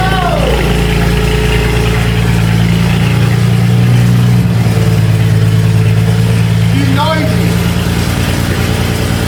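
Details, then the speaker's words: First cold start after months in winter storage: loud, rumbling cold idle holding a steady low drone, six cylinders firing evenly with no misses or stumbles. "He is noisy. We got to let it warm up for a little bit. We got to let it warm up. She's rumbling and grumbling."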